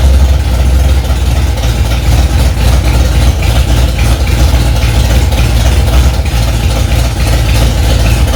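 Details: Freshly rebuilt Ford 289 small-block V8 in a 1965 Mustang "Hack Job", first start after months of work, cold engine: loud deep rumble at raised idle, firing on all cylinders, no ticks or misses; normal fast idle.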